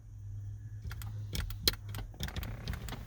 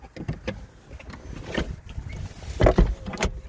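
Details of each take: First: Mazda MX-5 with aftermarket automatic roll-up window controller installed: only quick clicks with each switch press over a low steady hum, no motor whir; window doesn't move after the top cycle, controller malfunctioning. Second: Mazda MX-5 with an aftermarket MX5 Things automatic roll-up window controller: smooth electric motor whine for a couple of seconds as both windows close fully and stop cleanly; correct operation this time, although other attempts behaved inconsistently.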